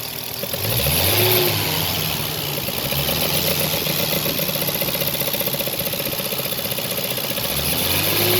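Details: Toyota 1JZ-GTE turbo inline-six in a JZS171 idling after about 20 minutes of driving, with a light, fairly steady top-end tick riding over the engine note; source not identified.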